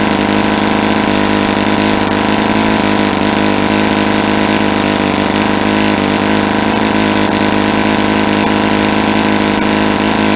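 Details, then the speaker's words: Saito 50 four-stroke, first run after rebuild with new ring and bearings, APC 11x7 prop, Omega 10% fuel, warm: leaned near peak rpm, less exhaust smoke, steady high buzz with no sag or misfire; owner says probably too lean for a first run. "see how much the exhaust most decrease how the sound of the engine picked up an RPM I was getting near the peak"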